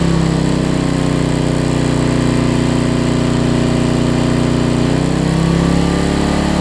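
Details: Homelite LR4400 generator after carburetor and kill switch replacement and governor readjustment: steady drone at constant speed with only a faint momentary dip, no surging or hunting; governor previously made it race then drop RPM, now holds speed normally.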